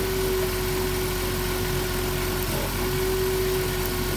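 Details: 2007 Dodge Grand Caravan idling rough: steady idle with uneven stumbling beat, about four lumps a second; number two spark plug wire's damaged boot arcing to the block drops a cylinder.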